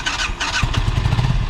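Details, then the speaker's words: Kawasaki Ninja 636 that lost power after leaving the freeway, then wouldn't start; restarted in neutral: engine catches in uneven, stumbling bursts, won't hold idle without throttle; hard starting, rough running, cause unknown. "there's something wrong with the idol it's not holding idle yeah you can do it you just have to keep it alive"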